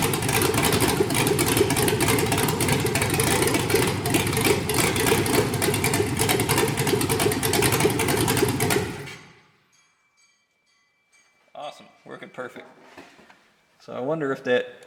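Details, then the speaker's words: 5.3L LS truck V8 with early cable-operated throttle on MegaSquirt 2, new stepper IAC setup: engine comes right down to an even, steady idle with no hunting before shutoff; normal idle. "all right that sounded like it was just coming right down to idle like i thought it would"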